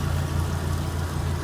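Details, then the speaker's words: Kenmore washer that would not spin or drain, after a zip-tie fix of a suspected bad lid switch: a steady low hum as the drum spins evenly, with no knocking, scraping or grinding; the spin cycle works normally. "And if I lift it up, yeah, it's spinning. So we got it."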